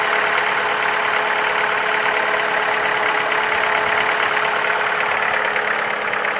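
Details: Ford Focus 3, 1.6 L, 125 hp: at idle a light, fairly quick tapping, about three taps a second, over the steady hum; engine knock of unknown origin.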